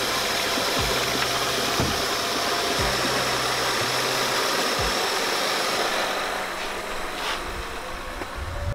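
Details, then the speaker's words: Honda Crosstour J35 V6 started for the first time in about half a year after frame repair: smooth, steady idle with an even hum and no knocks or ticks; the engine runs cleanly. "Listen to that J30. Was it J35, right? Yeah. Listen to that shit purr."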